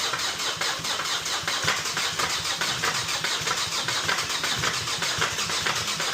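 Fast, dry metallic rattle over a petrol engine at start-up: a slack timing chain, not rod knock.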